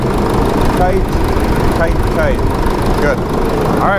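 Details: Jeep Liberty CRD diesel at a steady, even idle right after fitting a remanufactured alternator with an updated Litens clutch pulley, while belt alignment and charging are checked. No belt squeal or chirp, a few animal calls over it; normal idle.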